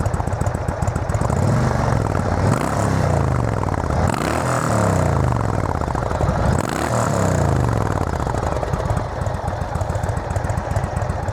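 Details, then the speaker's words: Motorcycle after failed exhaust gasket replaced, parked, microphone worn by rider not behind bike: lumpy idle not overly loud, then clean throttle blips, loud but no ticking or puffing leak; exhaust fixed. "So as you can see, it's not overly loud when it's idling. It's pretty much like what it used to be. It's when you crack the throttle is when you'll notice it."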